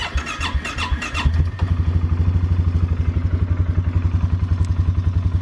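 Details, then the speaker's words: 2017 Polaris Sportsman 450 single-cylinder ATV idling with a steady, low, even thump after a flapping plastic piece under the gas cap was tied away with twine; the vibration rattle is gone. "that's so much better that's what I was expecting to hear when I first got this machine a more quiet engine and it wasn't the engine at all it was just that plastic piece flapping up and down"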